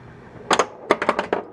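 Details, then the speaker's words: 1993 Bally/Williams Twilight Zone pinball (WPC) in test mode: about seven thin, soft flipper clacks, an audible oscillation instead of a solid slam. A weak flipper, electrical not mechanical: the switch controlling it is faulty. "That is oscillation. So, that means that there's a problem with the switch that controls the flipper."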